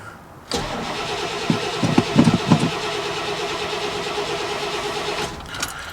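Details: Chevy work truck that lost power (only about a tenth throttle) then wouldn't start: steady starter churn about three turns a second for nearly five seconds, never catches; suspected fuel pump, but pump turned out not to be the fault.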